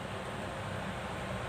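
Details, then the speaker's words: Exhaust fan that had hummed and stuck, after its capacitor was replaced (0.8 µF swapped for 1 µF): a steady, even whoosh with a low hum and no drag. It is spinning freely again. "nah Hai sudah berfungsi kembali Hai sudah berjalan kembali"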